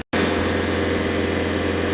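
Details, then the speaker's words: Known-good Bobcat S550 compared against one with bad injectors, full throttle with rail pressure holding about 200–204: steady, even diesel drone with no misses, knocks or surging; normal full-throttle run. "Full throttle staying around 200, 204, 203. That's what we're not getting with the other one."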